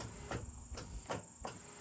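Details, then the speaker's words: Newly installed boat trolling motors' brake system tested in both directions: crisp relay clicks, two or three a second, from the engine compartment over a faint steady hiss, normal direction switching. "You can hear You can hear the relay clicking back here in the engine compartment."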